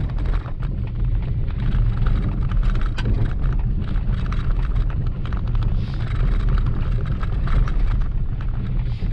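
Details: Maruti Wagon R front suspension: irregular low clunks and rattles in bursts over the road, heard from both left and right sides; worn front lower ball joint, mechanic says suspension needs full overhaul.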